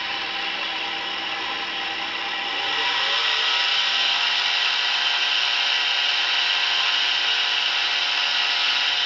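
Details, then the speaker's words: Samsung washer-dryer drying exhaust fan motor, run with its impeller removed: shrill, gritty whir settling into a steady high whine at speed; sealed motor bearing suspected, worse with impeller, WD lubrication didn't help, motor replacement likely needed. "O barulho ainda está meio baixo, pois está sem a turbina, que quando juntar isso com o barulho da turbina, vira um barulho insuportável, você não consegue ficar dentro de casa."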